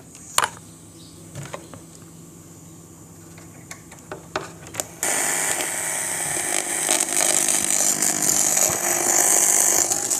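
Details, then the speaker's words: PC audio through a monitor via 3.5 mm aux cable at full 100 volume: after plug-in clicks, a loud harsh hiss-buzz floods the speaker output and stays; loud buzzing noise in speaker output. "तो जैसे कि आप सुन रहे होंगे कि कितनी beep की आवाज़ आ रही है।"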